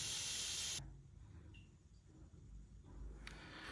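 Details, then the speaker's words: Lochinvar FTXL 400 boiler after replacing the inlet water sensor, valves reopened: sharp hiss dropping away in under a second, then a softer spurt. The air separator is purging air let in during the repair. "so uh let's open up all the valves the once we close look at that can you seear that that's air coming out this is an awesome component"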